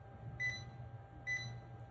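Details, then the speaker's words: Klein NCVT-6 non-contact voltage tester run along a cable, beeping about every 0.9 seconds with its red light flashing as it senses AC, over quiet room hum. "Pretty much run it along the run it along the cable and you hear you can hear it beeping and the the red light flashing saying"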